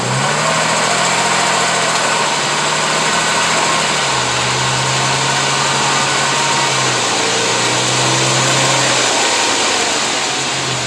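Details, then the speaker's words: Engine drone under load in gear, foot off brake and on the gas, with a rough rattling texture; worn driveshaft universal joint causing rattle, humming and vibration. "Well, you know what, making that rattling noise right there."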